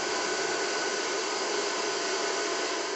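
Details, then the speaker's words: Xisico CS3 4500 PSI 12/110V portable compressor at first startup after oil fill, power on and cooling fan running before the compressor starts: steady even fan whoosh, no knocks or rattles; normal cooling fan. "And then we'll turn on the power. Power's on, fan's on."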